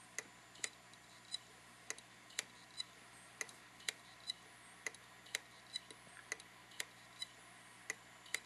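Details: Hitachi Deskstar 5K3000 2TB 3.5" drive in a dock, kicked during file transfer: continuous sharp clicking about twice a second that never stops, computer doesn't recognize it; possible click of death, not confirmed.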